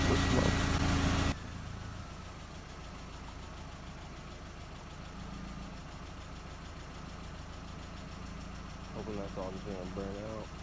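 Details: MK4 Jetta 1.8T idling after head gasket repair with replacement head, new timing belt, water pump and thermostat; loud burst at start, then quiet steady low idle, even beat, no knock or miss.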